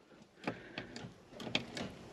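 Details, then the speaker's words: Old excavator abandoned for years: sharp irregular starter clicks about three a second with no cranking; batteries too weak, replaced with two new sets. "got a click now we need batteries now we need now we need your batteries but I can hear the starter clicking"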